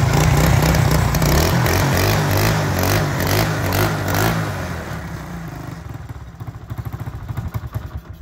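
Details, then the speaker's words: Motorcycle after swapping a new-model carburetor for an old-model one, started on choke and warming: steady, even beat about 160 pulses a minute, no knocks or rattles; normal idle. "Cake लगा के आपको start करके इसका sound check करा देते हैं, और इसकी जो एवरेज की सेटिंग है वो भी हम आपको चेक करा देते हैं, ठीक है।"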